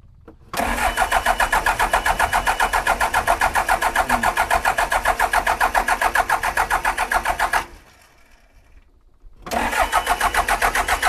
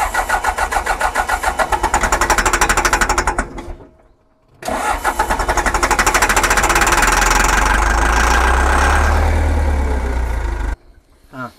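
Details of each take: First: John Deere 310G backhoe diesel in neutral, battery at 12.5 volts, after long no-start: catches quickly into a steady even clatter near four beats per second, dips briefly, then runs cleanly; a fuel leak shows the pump is pumping. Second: John Deere 310G backhoe diesel, abandoned, cranking on a new starter with possible air in the fuel system: strong steady cranking about three turns a second, pause, more cranking, never catches; crank no-start, no fuel delivery to pump.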